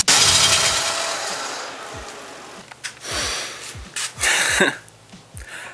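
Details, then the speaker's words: Harsh high squeak and scrape right at engine start, then uneven rasping bursts: an unhooked clamp fell and rubbed the serpentine belt after reassembly; belt shows only a small scrape. "I forgot to hook this clamp up fell down that squeaking noise was it hitting against the serpentine belt so fat elf for me there luckily the belt seems to be an ok condition just a little scrape on the"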